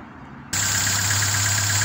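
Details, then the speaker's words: Petrol engine just started, idling with a steady drone and an uneven, stumbling pulse from a misfiring cylinder, before a cylinder balance (drop) test to find which cylinder isn't contributing. "the engine is now started up and as you can clearly hear that there is a messiah occurring at this present moment"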